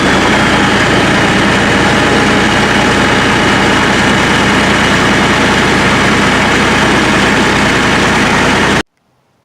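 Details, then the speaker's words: International 175C crawler loader diesel, started after fuel filter change and bleeding, in neutral with a little throttle: heavy steady even clatter, no misses or knocks; healthy engine. "All right, guys, well, you saw it start. It ran for just a few minutes. I sat up there and made sure there wasn't no issues with it, but purred like a kitten."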